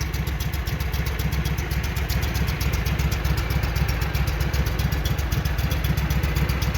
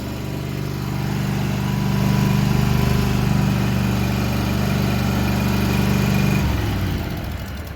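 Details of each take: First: Walker mower that had been backfiring through the carburetor, running after repair while checking before a grass test: even, steady chuffing beat with no misses, pops or knocks, normal running. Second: Walker mower brought in for backfiring through the carburetor: holds an even, too-fast idle that never settles, then drops near the end; high idle from throttle linkage rusted and stuck open.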